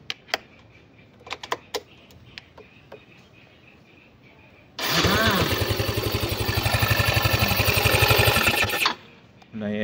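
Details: Mio Soul i125 scooter after repair: a few light clicks, then the engine catches at once and runs with an even, steady beat. Previously the starter only clicked because the starter wire was stretched too tight by swing arm movement; it was spliced and lengthened.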